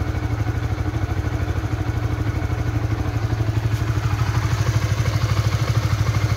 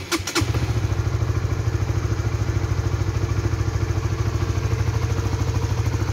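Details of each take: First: Honda 150 cc single-cylinder motorcycle idling after a 3 to 5 minute warm-up on new synthetic-based extended-interval oil; steady even idle with regular firing pulses and no knocks; smoother than the previous Shell Advance oil at 1700 km. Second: Honda 150cc motorcycle (Supra GTR 150/Sonic/CB150R class) warmed 3–5 minutes on its second fill of Shell Advance oil, only 1700 km in: heavy, uneven thumping idle with a rattly edge; engine sounds very rough, owner suspects worn-out oil.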